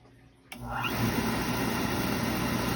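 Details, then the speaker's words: Beckett oil burner with no heat, after fitting a new motor with its start capacitor: on power-up the motor spins right up to a steady, even hum, turning the blower and oil pump freely; normal motor start. "hear the blower motor hear the blower running and it's turning the oil pump i'm assuming this thing is going to fire up"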